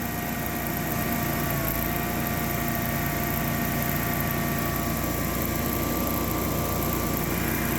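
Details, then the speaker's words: Generac whole-house generator, after a low-oil shutdown and resetting low oil, auto-starts and runs with a steady even drone and constant hum, no misses or surging; normal running. "let's fire it up and warm up the oven turn on power to the house Auto should fire up all by itself"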